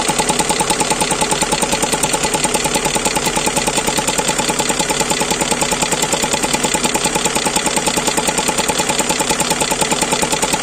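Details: GAZelle Business with 5VZ-FE engine, restarted after long warm-up: steady idle with an even tapping, about twice a second, that keeps time with the engine. Owner suspects an air leak after the throttle; cause not confirmed.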